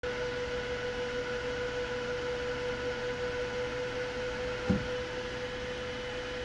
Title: Voxelab Proxima 8.9 Pro clicking sound